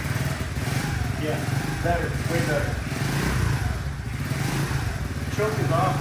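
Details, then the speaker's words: Honda CT70 clone with Nibbi carburetor after jetting and adjustment: small single-cylinder revs cleanly with choke off, then settles to a low, uneven idle; previously bogged and died until warm, idle air-fuel needs a tweak. "I can rev it. So, I don't know if you can hear me. Not sure if you can hear me, but the choke is off when I can rev it. Before, it would just bog and die until it was warmed up. It's actually idling with the choke off."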